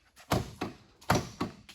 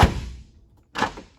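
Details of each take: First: 1978 Mercedes 450 SEL outer door handle pulled and snapping back with hollow thunks, car unlocked but latch not releasing on all four doors; internal slider slid out to its end, fixed by adjusting the handles. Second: 1978 Mercedes 450 SEL after adjusting the outer door handles: two clean, solid latch thunks about a second apart, door now releases easily with one finger.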